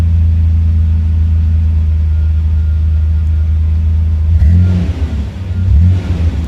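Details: 1993 Ford Ranger 4.0 V6 with Flowmaster exhaust, started after replacing the ignition lock cylinder (key chime still not working): deep steady idle, then two clean revs that climb and settle smoothly; engine runs healthy.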